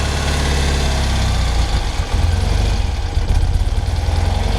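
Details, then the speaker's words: 1975 BMW R75/6 airhead boxer, about 140,000 miles, Bing carburettors at basic settings, chokes fully open: deep, loping, uneven tick-over that sags near stalling. The throttle stop is set too low and is to be opened slightly so it idles unaided. "now the tick over at the moment is still a bit slow so i think what i may do is just open up the throttle stop through just a little so it can uh sit over on its own without me having to hang on to the throttle"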